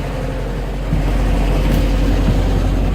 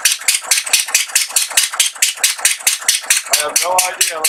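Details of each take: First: Atomic 4 inboard boat engine, which earlier would not start with all spark plugs in, now running with plugs reinstalled and started unchoked by jumping the solenoid; a deep, even, steady rumble with no rattles or blowing. It sounds much better, though a gasket needs replacing. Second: Atomic 4 boat engine with plugged exhaust, only water leaving the exhaust port: slow uneven hissy chuffing, running on one cylinder as exhaust is pushed back through number one cylinder.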